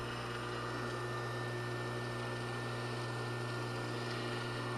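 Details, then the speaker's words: Craftsman table saw motor during rebuild: steady hum with a low drone, dragging startup-winding noise and a faint ticking rattle; forward bearing suspected worn. "that ticking noise it's that rattle I don't like hear it it's that forward bearing"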